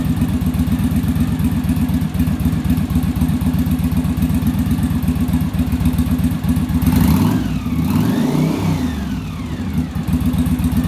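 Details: Yamaha Virago V-twin after final on-engine carb sync with manometer (following bench sync); even idle about four beats a second, one quick throttle blip falling back cleanly; carbs balanced, idle much smoother, no longer fighting each other.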